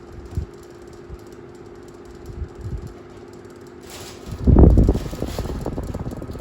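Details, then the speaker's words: 1950s Frost 12-inch desk fan: a fast, uneven clattering over the airflow, because a part was not properly bent back into place; its centre cap is also loose. The fan runs at proper speed but still rattles. "As you can see, it still rattles cuz I didn't properly bend it back into place."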